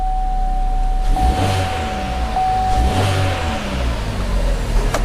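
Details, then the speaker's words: GM (Chevy/GMC/Buick) petrol engine after replacing the faulty fuel injector behind injector codes P0201–P0208: idles with a steady, even low rumble and no misfire, with the check-engine light still on before codes are cleared. "We're going to start the car and you will notice that the engine light will still be on, but the car will not be misfiring."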